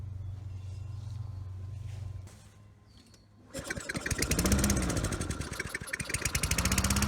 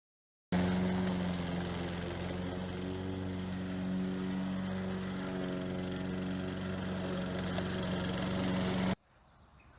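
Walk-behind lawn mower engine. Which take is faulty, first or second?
first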